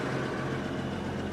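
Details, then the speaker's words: Repossessed cotton picker with an 8.3 Cummins diesel, started after sitting a long time: a deep, even idle with a steady low rumble and no misses or knocks; it runs smooth and settled. "Alright, you should be able to hear it purr this time. Oh yeah, that's insane."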